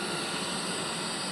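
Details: Electric water kettle after repair, fresh water, switched on: steady, even rushing hiss coming to a rolling boil with no buzzing or crackle, then auto switch-off; heats normally.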